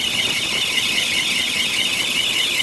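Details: 1993 Bentley Brooklands: steady, piercing high squeal at one pitch from the A/C compressor area with almost no engine rumble; owner suspects a bad A/C compressor clutch bearing, unconfirmed.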